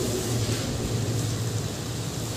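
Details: Mini high-pressure jet cleaner car washer with rubber diaphragm pump (no piston), after repair for weak spray: steady even low hum from pump motor with constant spray hiss, strong spray, no knocking; normal pump running.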